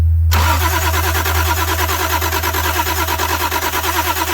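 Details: Toyota Supra after sitting since 1995, spark tester hooked up: fast, even starter chugging about three beats a second, no firing; no spark, ground okay, owner suspects a fuse issue.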